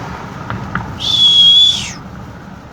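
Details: Japanese 2.5 L 4x4 with a turbo rebuilt six months earlier using the wrong shaft and blades, now unbalanced: thin steady high whistle swells for about a second over a faint engine, then fades.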